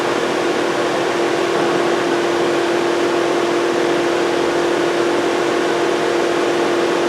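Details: 2007 Volkswagen Jetta 2.5L, crank-no-start; steady loud rushing airflow with an even hum and no engine note as the cooling fans run on high constantly; ECM not communicating, no check engine light; not a fuse.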